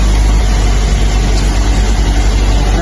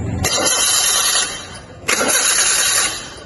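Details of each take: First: Fuel-injected engine on a training engine stand after clearing codes: loud, steady low idle with smooth even beat, no misses or rattles; MAP 27.2 kPa, intake air 40 °C; normal idle. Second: Fuel-injected engine on a training engine stand, MAP, IAT and TPS sensors reconnected but crankshaft position (CKP) sensor still unplugged: two brief starter bursts, steady fast cranking, no firing; crank no start from disconnected CKP sensor.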